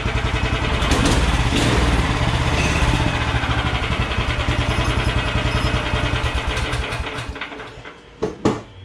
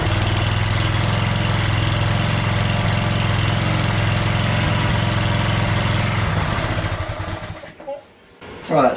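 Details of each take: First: Small single-cylinder engine with a small throttle and centrifugal clutch, on an old DR stump grinder / Craftsman walk-behind string trimmer project, just started: even, lively beat holds steady, then winds down and stops; torquey, idles well, healthy. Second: Craftsman walk-behind string trimmer small engine with new plug, no choke: runs with a slow steady low chug, clearly underspeed, then shuts off; owner suspects throttle setting/governor spring needs raising. Low engine speed.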